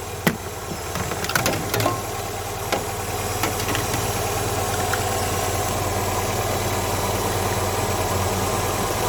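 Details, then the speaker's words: Classic carburettor and distributor car, warm with choke off, vacuum advance plugged. The idle rises from about 950 rpm to about 1000 rpm, a fast, even, busy hum with no misses. Ignition timing is about 10° BTDC, too far advanced; mixture may also be off. "I've plugged the vacuum advance we're running a little bit faster than normal that was running at about 950 now it's running a bit more faster"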